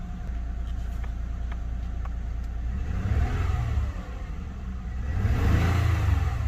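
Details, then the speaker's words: 2008 Lexus ES350 V6, warmed up, revved to about 2000 rpm where the check engine light came on: rough, uneven low pulse and vibration from a cylinder 4 misfire (P0304); coil swap didn't cure it, cause was the rat-chewed #4 fuel injector connector. "so after the car warms up a little bit i'm to start revving it because that's when the check engine light came on that's when it gets up to around 2000"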